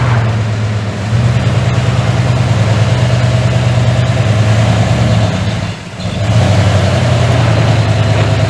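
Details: 1981 Ford F100 V8, revived after sitting 24 years and due for a rebuild: deep running with a heavy uneven low thumping that dips and recovers with throttle; rod bearing knock.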